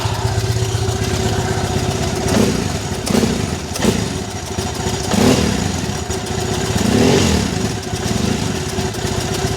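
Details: Triumph Bonneville twin: steady, even beat on both cylinders, picks up cleanly when blipped, no misfire for now; owner soon hears a hissing return from the right-side plug.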